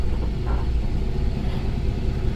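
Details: Old Chevy square body wood truck on the road, brakes still needing work. Deep, even engine rumble with no knocks, misses or whine; the engine sounds healthy.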